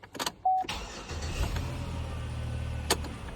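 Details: 2011 Chevy Impala after ignition switch replacement, final test (previously clicked and cranked draggy despite new starter): chime, brief crank, clean catch into steady idle, chime returns; starts normally.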